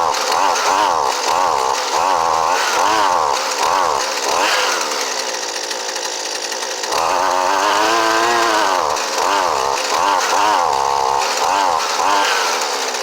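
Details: Husqvarna 128LD trimmer with new Hipa carburetor, choke off, at full throttle before high-speed needle adjustment; screams with wavering, warbling note rising and dipping, unsteady top end, cause not confirmed: uneven high-speed running.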